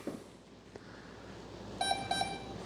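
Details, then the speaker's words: FMS F/A-18 Hornet 64mm V2 ESC in programming mode; two short beeps select the brake setting (one off, two soft, three medium, four hard). "two beeps down now one beep is off for braking two beaks is soft brake three beaks is medium break four beaks is hard breake all the way up and down"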